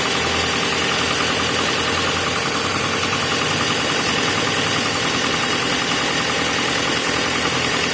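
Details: VW Passat B5 on cold start: fast light knocking, roughly three a second, riding over a cold idle with a lot of top-end clatter; engine knock present when cold.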